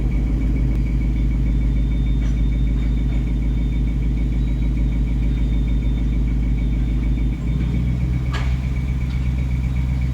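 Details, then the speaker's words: 2019 Mustang GT V8 idling in a drive-through line: faint, high, rapidly repeating chirp over the rumble from the front of the car, intermittent; owner suspects a squeaky belt, not the known tick. "there you go guys sitting in the lineup at Tim Hortons near the squeak that I've been talking about hopefully"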